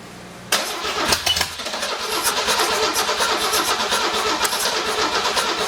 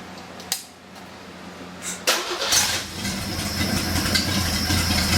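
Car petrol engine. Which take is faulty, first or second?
first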